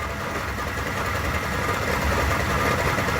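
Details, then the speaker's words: 3rd gen Toyota Tacoma that lost all power after a fast 2nd-to-3rd shift, in first gear: engine runs steadily with a subtle, faint uneven rattle, driveshaft not turning and no drive; transmission fault suspected. "hopefully you can hear this this is the subtle rattle that i'm hearing"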